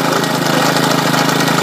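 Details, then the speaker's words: Discarded lawn mower engine driving a GM 3-wire alternator as a 12 V generator: small single-cylinder engine holds a steady even beat with no misses or knocks while charging a battery at about 14 V; normal running under load. "as you can see it's generating 14 to have folks that battery is getting charged"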